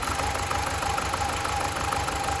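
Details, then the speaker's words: BMW 318i E46 Touring at warm idle: an uneven, lumpy, shaking beat; disconnecting each coil showed all four firing, so it is not spark; a fuel or air mixture problem is suspected. "not at all that is disappointing that is a rough as heck just as it was um and these coils were meant to be working fine"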